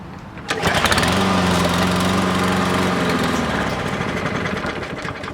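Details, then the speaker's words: 2017 Toro Recycler lawn mower: catches on the pull, runs evenly about three seconds, then slows and dies; carburetor cleaning is the planned fix. "It starts and it dies out after a couple of seconds."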